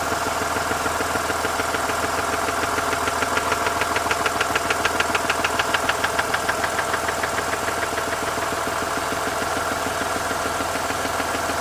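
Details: Mazda RX-8 Renesis rotary engine at idle: steady, light knock about three times a second; owner thinks it comes from the rear of the engine or the clutch and seems not to be the SSV; unconfirmed.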